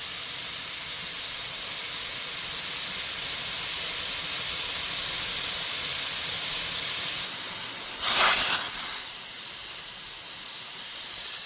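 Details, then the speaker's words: Truck after re-piping the differential lock air feed under the dashboard, building air pressure: loud steady hiss that surges briefly as an air line blew off its untightened fitting, olive not crushed; air alarm triggered. "So, as you can see and here, air alarm popped off. And you know why? Because I've forgotten to tighten that."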